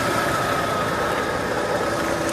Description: Here is my '88 Ford F150 idling after repairing vacuum leaks.